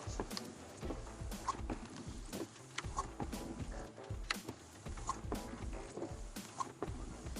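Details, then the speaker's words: Windshield wiper juddering chatter ("da-da-dak") repeating each sweep, roughly every three-quarters of a second, with no oil film on the glass; blade skipping. "그런데 와이퍼가 소음이 있습니다. 자, 보이시죠? 다다다닥. 바로 요거거든요."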